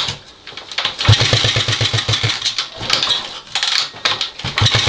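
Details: Honda XL250S after renovation: bursts of quick, even cranking thumps, roughly eight a second, with pauses between tries; turns over but never catches or fires, no start.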